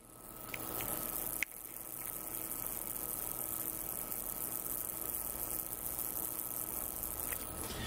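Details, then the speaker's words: Switching power supply under a 1 A electronic load, microphone beside the board; thin steady high-pitched whine over a faint hiss, judged abnormal; source not yet pinned down. "esse ruído definitivamente não é normal, gente. Já mostra que alguma coisa pode estar com problema nessa fonte chaveada, tá?"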